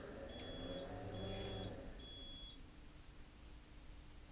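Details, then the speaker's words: Mobility scooter after throttle pot replacement, adjusting the pot so the reversing beeps come on quicker: three evenly spaced high beeps about a second apart, then a sharp click as the brake engages. Normal reversing warning. "there's a audible reversing tool and it beats come on quicker so I still need to adjust a little bit more"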